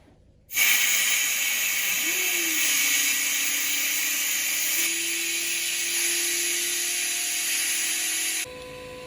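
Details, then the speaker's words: Camper plumbing test: service valves opened to purge air with the water pump running, giving a steady sharp hiss of escaping air over a faint pump hum, then dropping away; air bleeding from open valve. "I'm going to open the service valves on these as well and just let some of the air out."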